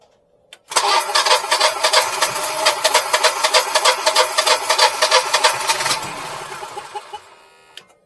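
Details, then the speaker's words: Generac Guardian 4456 backup generator after maintenance and spark plug change: starter grinds in a fast even rhythm for about five seconds, engine barely catches, kicks on then dies; owner suspects air in the fuel lines. "what's that guys it's kicking on kicking off these are air in the tanks"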